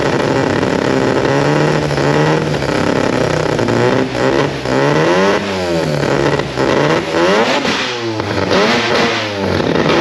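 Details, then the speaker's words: Mazda RX4 old race car with new 13B rotary, old Haltech ECU running ignition, battery only 11 volts with suspected alternator issues; revs rise and fall unevenly, stumbling between blips, running rough; owner suspects low ECU voltage, cause unconfirmed. "so I'll get it running but it runs like [ __ ] the race car stuff actual race car"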